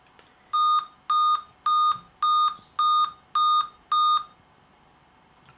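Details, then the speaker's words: Dell Inspiron 15 M5010 powered on, power LED lit but blank screen: seven evenly spaced beeps, Dell's CPU-failure code, attributed to a bad northbridge chipset (common on AMD). "7 beeps. According to the manufacturer's website Dell The problem is related to a CPU failure, very common on AMD Chipsets"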